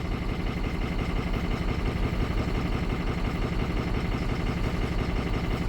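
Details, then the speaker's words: 2006 Ford 6.0 Power Stroke diesel bought as a crank-no-start. It is warmed up and reads zero oil pressure, which is doubted. Lumpy, uneven idle during the contribution test with a broken injector 8 connector; running better and now has pedal, but still rough. "but it's running better than it was I do have pedal now"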